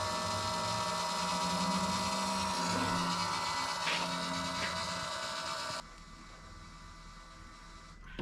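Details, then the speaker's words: 2022 Kenworth W990 log truck, Cummins X-15 at about 19,000 miles, key cycle 6 after fuel filter change: steady electric whir with faint hum cutting off cleanly near six seconds; primer pump filling filter normally. "All right, here's key cycle number 6. I'm gonna let that pump. You can see our fuel in the filter here."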